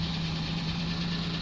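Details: 10/2015 Holden VF Commodore Series 2 Evoke ute, LFX 3.6 V6 with automatic, 161,724 km, started briefly for dismantling: steady, even low idle hum with a firm note and no knocks or ticks; V6 running clean.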